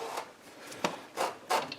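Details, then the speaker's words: Free seized pressure washer small engine turned back and forth with a bar, not running: dry, gritty rasps with each slow turn; rust scraping inside a partly seized cylinder, trying to break the ridge. "There's definitely, you can hear that rust in there, but I want to work it back and forth for a while, see if I can break that ridge and get it to spin all the way over on its own."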